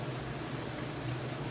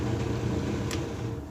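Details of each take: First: Hotpoint dryer after belt replacement, blower wheel cleaning, vent snaking and tensioner arm readjusted to engage belt switch: steady even whoosh with low hum, no thumping, squeal or scraping; drum and blower running smoothly. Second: Hotpoint dryer with broken drive belt, drum not spinning and loose: steady low motor hum with slight vibration and no drum tumbling; dryer was also vibrating and not drying, with a clogged blower wheel and vent.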